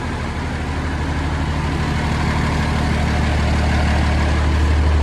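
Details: Mercedes MB Trac 1300 diesel tractor, first start in six months after new injector seals, hydraulic hose, oil and air filters: deep, steady idle with even low beat, no misses or knocks; healthy, though an air leak under the seat noted.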